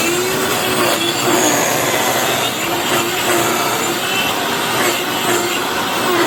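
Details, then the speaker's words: Hoover FloorMate floor scrubber after about 6 months of very light use: rough, scraping whir with a steady high whine on top and no clean hum underneath; owner says the motor bearings have died. "So obviously the bearings in that motor have died after, like I said, about 6 months of very, very light use."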